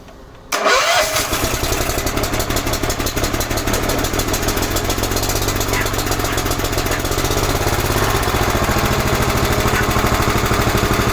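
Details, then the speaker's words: 11 hp Honda engine on an Emglo air compressor, just after a carburetor and air cleaner box replacement. It restarts into a fast, steady chug with a slightly heavy, uneven note: running rich, getting too much fuel, so the side mixture screw needs tuning. "Need to tune it. There's a little screw on this side. It's getting too much fuel."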